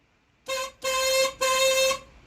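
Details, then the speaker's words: 1982 Ford Mustang GT: horn works, giving three short, thin honks with a clear steady tone, just weak; owners plan to fit a louder horn. "All right. It's kind of weak and pathetic, but yeah, we'll get a more manly one here soon."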